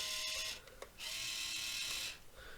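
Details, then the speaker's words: 1:28 scale RC wheel loader (Rui Chang QY2302, Volvo L350 copy), first test after poorly packaged shipping: two short high-pitched whirring bursts from the steering motor with wheels not turning; steering likely broken, stripped gears suspected. "these two joysticks are the steering wheel so [Music] so our steering is making the noise but it's not"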